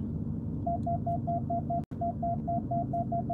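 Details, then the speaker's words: Self-parking assist moving the car forward toward another car's bumper: short, evenly spaced mid-pitch beeps, about four a second, over a low cabin hum until it says stop; a normal close-obstacle warning that lets the car get very close. "You hear it? Now it says stop. But look how close it made me move."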